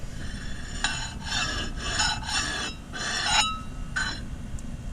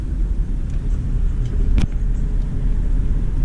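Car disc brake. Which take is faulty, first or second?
first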